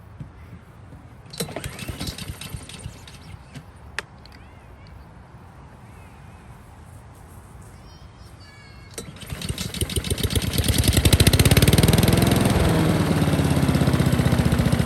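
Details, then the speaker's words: Honda lawn mower pulled from the dump, NGK plug, won't start, even without choke: with fuel poured in it cranks, fires and rises to a steady beat; fuel supply problem suspected. "We'll see if we can put a bit of fuel in there and see if we can run it with a bit of fuel. Maybe get it started on that and see if it continues to"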